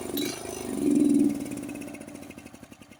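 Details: Honda HS1132 snowblower engine surging, speed swelling and sagging instead of holding steady. A clogged carburetor is suspected, probably the idle jet and emulsion tube, possibly the main jet; cleaning is planned.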